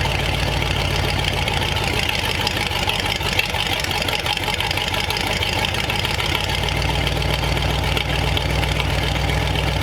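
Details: Replacement flathead V8 (35/6 block) for 1934 Ford on a run stand, idling to temperature with coolant, reaching 185°F after 22 minutes without overheating; smooth even burble, no misses or knocking; normal idle.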